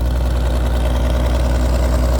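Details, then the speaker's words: Old engine just started on full choke after a camper-battery jump, apparently not flooded; charging lower than expected, Interstate battery may be weak in cold; low, even putter, no misses or rattles; idling smoothly. "I guess it really wasn't flooded, but I went full choke and it fired right up. This whole thing had me worried."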